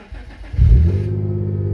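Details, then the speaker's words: 2011 Hyundai Genesis Coupe 3.8 manual, push-button start with clutch pressed, after refitting a small broken plastic piece that caused a no-crank: engine catches at once and settles into a steady even idle, normal start. "starts right up so there is a fix"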